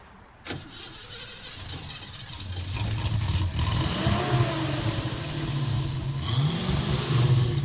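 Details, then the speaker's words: 1969 Ford Mustang, 302 V8, revived after 27 years off the road, which had chugged badly in traffic: low, uneven chugging that stumbles and surges as the throttle opens; misfire under load, possibly heat-related. "see now it runs fine now it's missing a little bit"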